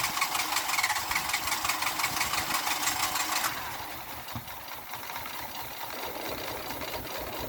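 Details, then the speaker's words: Renault Clio engine in a destruction test, oil drained after a dish-soap flush, no oil, restarted on hairspray after hydrolock: harsh metallic clatter at about three beats a second, loud then easing. "Can you believe that that's back running? Now I've got no oil in it, so got no oil, no soap, everything's open."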